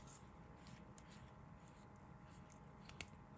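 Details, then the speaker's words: Fully serviced Sheaffer Snorkel fountain pen, turning the plunger end knob before filling: a single small, crisp click over quiet room hiss; snorkel releasing normally. "there you go don't know if you could hear it you'll hear a little clicking sound"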